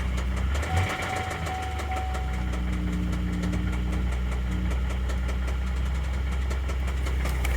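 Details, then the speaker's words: 2011 Chevy Traverse 3.6L V6 after hard start on a jump box: fast, irregular light tapping about three a second over a rough idle; failed timing chains, codes P0011, P000D, P0024. "That smells. Oh no. I think that's an engine noise. Yeah, it's not good."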